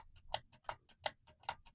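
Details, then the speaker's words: Joyo JF-01 Vintage Overdrive latching footswitch after being cleaned with Deoxit D5 contact cleaner (it had been cutting in and out); crisp, even clicks, and it now engages reliably on every press. Normal footswitch operation after the fix. "So I'm pressing it. It's not coming off and on like it was doing before or acting weird. It's working every time. It's solid."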